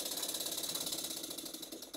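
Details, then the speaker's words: Cotswold Heritage model steam engine test run on compressed air, freshly oiled, standing on a hollow-mounted melamine board on the workbench: fast, even clatter of light metallic ticks each stroke; a bit of a knocker, perhaps just the board resonating. "it seems to run okay it's quite powerful it's a bit of a knocker but then again it is stood on my soundboard"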